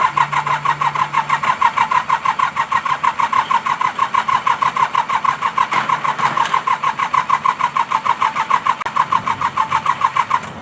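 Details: Mitsubishi K3E diesel in an MT18 tractor, after three pistons and rings were replaced: even, strong cranking of about three compressions per second with no weak cylinder, leading to a normal clean start.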